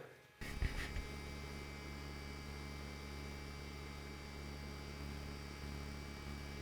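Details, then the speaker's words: DJI Phantom 4 Pro Plus remote controller with built-in screen, just booted: steady low hum with a few fixed tones, unchanging; its built-in cooling fan running, loud but normal. "The remote controller of the DJI Phantom 4 Pro Plus is pretty loud and noisy."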